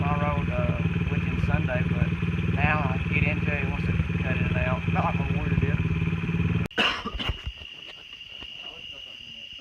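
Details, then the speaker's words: Honda XR50 pit bike with the stock pipe, ridden under load. The carb was cleaned the night before but the sputtering is returning. Runs rough and uneven, then cuts out; it later needed a carb adjustment for bogging. Engine sputtering and cutting out. "It's sputtering real bad. It's sputtering worse now."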